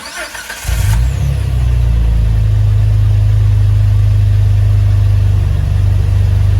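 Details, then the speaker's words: Jeep TJ 4.0L, start after replacing the spark plugs with NGKs and refitting the fuel rail and intake hose. It cranks briefly, then catches cleanly into a smooth, steady low idle with no misfire or knock. Sounds healthy. "And we should be good to go. So now fire it up and make sure everything seems like it's working appropriately."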